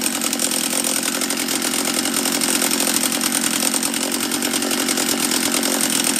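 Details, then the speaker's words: Refurbished Husqvarna 44 chainsaw on its second heat cycle, fuel still leaking near the fuel line/petcock: loud, steady note with a fuzzy, slightly burbling edge. The carb is set rich. "oh it was rich that's what it was let's turn it back a eighth of a turn or so"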